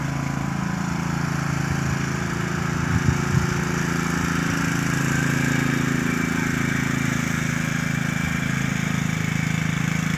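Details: Troy-Bilt lawn mower running at dusk: steady, extremely loud drone with a rough, chattering edge and an odd rattle near three seconds; abnormal loud running noise, cause unclear.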